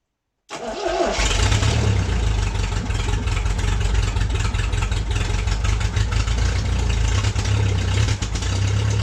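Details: MG pulled from the woods, first start in 22 years after a new ignition switch, spark plug wires and starter relay, gas fed from a bottle to the carburetor. Catches quickly and settles to a steady, even idle; normal idle.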